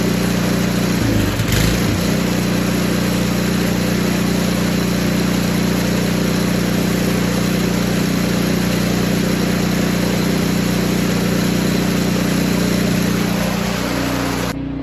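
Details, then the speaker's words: Poulan Pro 961980056 24-inch 208cc snowblower after carb cleaning, new primer bulb, fuel line and fresh gas: even low putter idling smoothly with no surging or misses; normal idle. "so it did get running it's running right now you can probably hear it outside I'm gonna let it run for 15-20 minutes"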